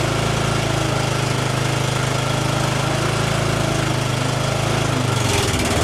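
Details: Exmark commercial mower that would not start in spring, first start on choke (no primer), believed flooded with black then white smoke. The small single-cylinder engine chugs with uneven, hunting speed and a rough beat, changing near the end: surging engine.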